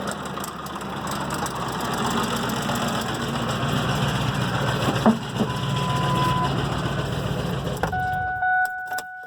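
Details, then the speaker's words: 2004 Ford Expedition 4.6 L at idle: rough, uneven idle with a loud loose rattling clatter, sagging as if about to stall then catching again; owner unsure if timing chain or lifter. "all right now is it idling before and it almost sounded like I wanted to die out and then it kind of kickback in"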